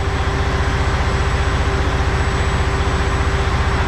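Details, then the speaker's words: Truck diesel at idle after clearing fault codes; the turbo is now audible spooling and spooling down, which it was not before. Owner suspects failed VPods. Steady low idle with a faint high turbo whistle above it: normal turbo spool sound. "yeah I can hear the Tero spooling spooling down now"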